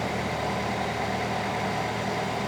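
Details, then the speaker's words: 2013 Nissan Altima that overheated at stoplights, still warm, after coolant top-up, idling with AC on recycle: steady even whoosh of radiator fans, previously not running, now blowing strong; AC blowing cold — normal cooling fan operation. "Now, last time the fans, one fan or the fans weren't on at all, and they're blowing strong now."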